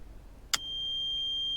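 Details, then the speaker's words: VW Passat B3 after headlight low/high beam electrical repair: click, then a high, thin steady tone holding evenly; lights-on warning buzzer sounding properly, showing the circuit now works. "Все делаем одной рукой. О, уже запищало, значит уже работает."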